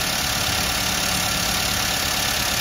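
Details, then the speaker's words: 2005 Avanza 1300cc non-VVTi idling after five minutes, after water pump, tensioner bearing, fan belt replacement and ignition coil leak repair: even steady idle with constant hiss, no ticking or misfire; normal idle, no spark leakage. "Oke ini sudah kita tunggu sekitar 5 menit dan sepertinya tidak ada api yang nyebrang-nyebrang jadi aman"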